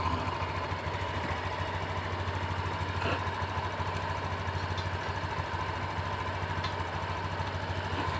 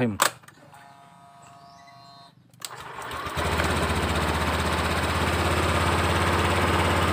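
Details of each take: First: Honda Beat Deluxe scooter at idle, suspected sabotage; steady even beat about three pulses a second with no misfires, slight throttle delay normal for this economical model; normal idle. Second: Honda Beat Deluxe fuel-injected scooter started after injector refit; soft, slow, even putter about three beats a second, throttle idle setting judged still too low; idle speed set too low.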